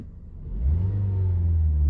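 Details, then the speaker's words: 2012 Ford Focus engine revving smoothly into an even deep hum with no shake after engine mount replacement; before repair, revving caused vibration and a rougher sound. "but when I would rev my engine like this, I could feel the car vibrate a little bit, and it definitely sounded a bit more rough than this."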